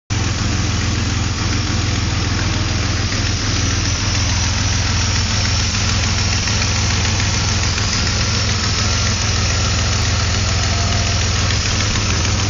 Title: weird hissing noise